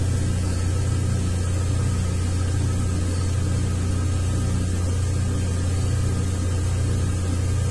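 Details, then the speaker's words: 2003 Ford Windstar 3.8 running rough, plugs changed earlier, during a cylinder contribution test: low idle rumble with an uneven loping beat about three per second; cylinder six not contributing, a faulty ignition coil. "definitely number six is not contributing as I suspected so we need a coil pack"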